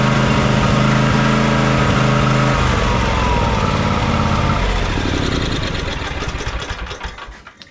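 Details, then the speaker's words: John Deere X300 riding mower that runs rough, surges and lacks power at full throttle, after fixing the choke: loud, lumpy idle around four uneven beats a second that fades and stumbles toward a stop; carburetor or fuel issue suspected. "the choke works but as you can see we're not getting very smooth running out of it whatsoever that's going to tell me that we still have a carburetor or a fuel related issue"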